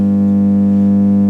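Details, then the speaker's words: Marshall MG30 CFX guitar amp at power-on: loud, constant low mains hum that no control affects, with no signal output though the LEDs light. Cause not yet found. "the problem with this amp is that it makes a horrible loud hum so uh without messing about any further let's turn it on and see if we can hear that said horrible um"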